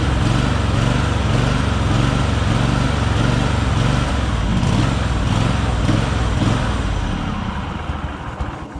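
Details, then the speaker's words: John Deere LX188 riding mower, first start of the season after new battery install, warming up; uneven loping beat about two pulses a second, revs swinging up and down, running poorly, cause unclear. "It revs like it's got a cam in it. Sounds cool, but it doesn't run very good like that."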